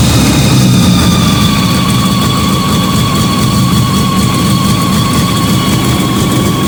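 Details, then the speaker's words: Fiat 125 (Bialbero) on CNG with a new carburettor gas injector and the original air filter, just started, idle touched up. Even, steady idle rumble with a faint constant whine, no stumbling or popping. Normal idle. "Arrancó. Ahora voy a tocar un poco la baja. Espero que se escuche. Ahí está. Anda espectacular, Anda muy bien."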